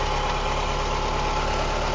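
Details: 1991 Mazda Miata MX-5, all-stock four-cylinder, recorded under the hood after a short drive in light rain: smooth, even idle with a steady low hum, no knocks, ticks or misses; owner says it runs and drives very well.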